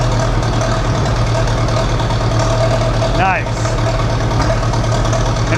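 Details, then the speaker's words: Massey Ferguson TEA 20 tractor after a Zenith carburettor rebuild, restarted warm with no choke: low, steady idle thump with an even beat and no knocks or misses. Normal smooth idle; it also shuts off properly. "That's freaking awesome. It runs like really well, actually."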